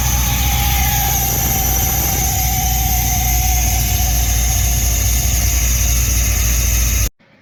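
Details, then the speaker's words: Holley EFI-tuned engine under load: the intake note changes, then it runs super rough with a wandering drone and air-fuel going lean at random. "when the car starts to get funny you can actually hear the intake noise changes and then the engine just starts running super rough and then the air fuels go lean"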